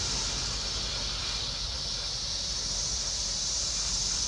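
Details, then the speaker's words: Missouri Wind and Solar Freedom 2 PMG wind turbine with MidNite Solar Classic 250 in Tropical Storm Matthew; steady high whistle over gusty wind rush as the turbine spins fast; normal turbine whistle in high wind. "That sound is from the turbine whistling like that."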